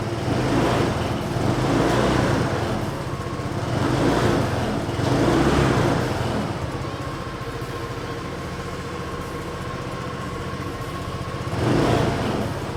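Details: Honda PCX125 single-cylinder scooter, 5,670 miles, startup: settles into a steady, even idle with a smooth low putter, no knocks or rattles; normal idle.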